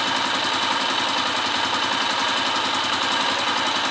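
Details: Kawasaki KSZ (about 2002–2003) single-cylinder engine after rebuild with new upper and lower bearings, idling smoothly: quick, even putter with crisp exhaust bark, no knocking or rattle; engine ready after checking for bearing noise.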